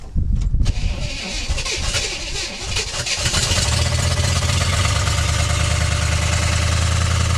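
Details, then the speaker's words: 1964 Chevrolet Impala, not run in about 40 years, fuel poured in, no coolant, on choke, possibly in gear: fast choke idle with uneven low knock; owner suspects rod knock or flex plate, unconfirmed. "might sound like a rod knock. It's idling really high, probably because of the there's no coolant, and also the choke was on, so it'll be running on choke idle."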